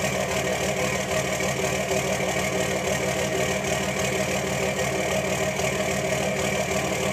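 Diesel clatter at idle with an uneven lope, roughly once a second, instead of a smooth steady run.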